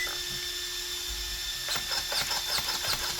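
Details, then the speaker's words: Team Corally Kronos RC car converted to Kagama, first bench test after rebuild with batteries connected: quick high-pitched servo whirs as wheels sweep side to side; steering works cleanly and sounds good. "Steering's good. Sounds good."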